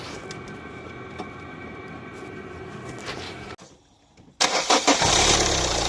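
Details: Renault with a no-start and fault DF116 camshaft sensor circuit no signal, in a camshaft sensor replacement job: quiet hum, a brief lull, then the engine fires and settles into a steady, even idle; it starts and holds idle normally.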